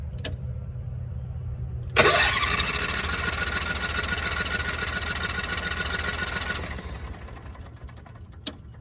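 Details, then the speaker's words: Cushman three-wheeler with plug wires off, ignition disabled: quick, even whirring crank about three and a half turns per second; engine spins over freely without drag, unlike the loaded crank with starter groan. Normal free cranking. "Spins over with absolute ease."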